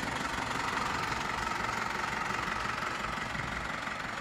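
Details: Isuzu D-Max 4HJ1 diesel after low-budget rebuild following overheating no-start, injectors bled: steady even idle, regular light clatter, no misses or heavy knocks; starts on one click, healthy.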